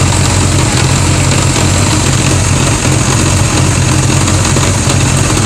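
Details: 1981 Honda GL1100 flat-four idling steadily low with a busy mechanical clatter and clunking underneath; source not clear.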